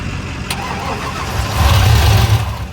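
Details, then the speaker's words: Truck that earlier cranked with no combustion at all; after refitting the old fuel pump and tidying the fuel system, it catches, rumbles unevenly and runs about 15 seconds or less, then sags and dies. Starts then stalls; cause not confirmed. "After I put the old fuel pump in and got everything tidied up and shit underneath there with the fuel system, it was actually cranking and combusting and starting for like 15 seconds, if that."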